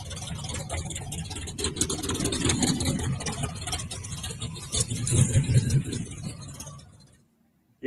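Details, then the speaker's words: Engine with newly fitted headers: deep uneven exhaust rumble with a few throttle blips, no knocks or rattles, dying off at end; engine running healthy. "I think it sounds pretty good y'all I appreciate it and um next video I'll be putting this guy right here on so I think she'll be running a whole lot better"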